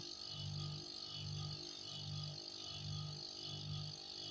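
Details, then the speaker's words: Refrigerator that hums loudly and won't run; unloaded compressor drawing over 2 A runs with a low hum surging in slow, uneven pulses instead of a steady drone, labored like it's exhausted, and cuts out again when hot. "Oke, Teman-teman perhatikan suara irama mesinnya. Oke, seperti orang sudah lelah ya. Harusnya ini tidak seperti itu."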